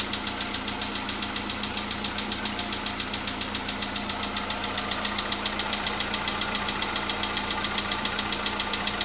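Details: VW Polo Sedan (CFNA engine) cold start a day after oil change and flush with flushing oil: light, very regular tapping about 146 a minute over steady cold idle, knock absent yesterday, now slight; cause unknown.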